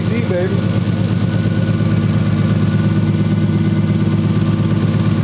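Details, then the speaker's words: 1JZ VVTi swapped 240SX, now running with wiring and grounds checked: rough, lumpy idle with an uneven chuff about three times a second at steady speed; a cylinder misfiring, coil wires (possibly 1, 3 and 5) tested, owners suspect a bad igniter. "so we confirm some stuff and got it running and it's misfiring and we'll maybe check plugs and stuff"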